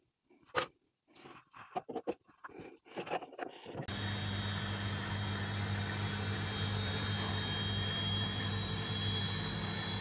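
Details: Washing machine spinning after replacing worn shock absorbers that had caused heavy vibration and noise: after some handling knocks, the drum settles into an even, steady spin with no thumping or rattling; running normally.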